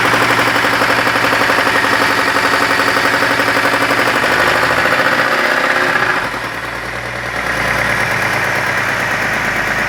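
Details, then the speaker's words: 2002 BMW X5 E53, M54 3.0-litre 231 hp, at idle: sharp, regular deep metallic knock about four per second from the bottom end; spun bearing from oil starvation suspected, not confirmed until teardown. "диная сила автомобиль пригнали на ремонт с характерным стуком в цилиндро-поршневой группы по предварительным предположениям стуки издает разум связи с про вернут им вкладышем"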